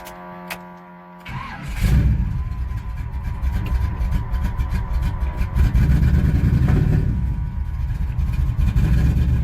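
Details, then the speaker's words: 1985 Chevy C10, Vortec 350 with Lunati cam, NGK TR55 plugs a couple months old, after earlier carburetor fix: lumpy, stumbling, irregular running with popping and backfiring on revving; likely misfire on at least two cylinders from failed spark plugs. "even wrap up or not now with the carburetor issues it was still rev up hologram popping and backfiring so I'm assuming it's got at least two cylinders"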